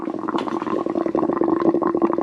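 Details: Twin-turbo Subaru Forester after a drive, not overheating: irregular wet, hollow gurgling in quick uneven bursts as coolant is drawn back; owner suspects low coolant, air in the lines and a bad radiator cap.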